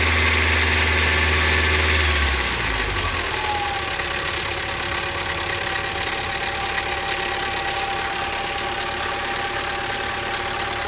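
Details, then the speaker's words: 1985 Toyota 22RE with replaced timing chain, warming idle after a cold start: quick steady ticking of about four a second over the engine, getting worse as it heats; owner suspects slack in the timing chain. "and you know now that it's getting hotter it's actually sounding worse"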